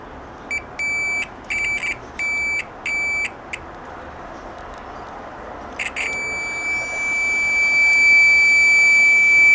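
Five short, shrill beeps from a multimeter's continuity buzzer, then one long steady tone when the probes stay in contact.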